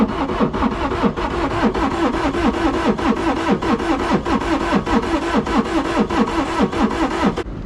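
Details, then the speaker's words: Non-running auction side-by-side diesel on jump pack: starter churns steadily about a hundred beats a minute without catching, sounds horrible; cause unknown, fuel pump and injection lines checked next. Cranks but no start. "that's bad oh that sounds horrible what just happened huh I guess we crank it over again"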